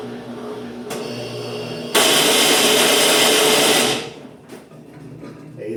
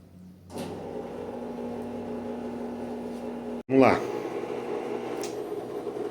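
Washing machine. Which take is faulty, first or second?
first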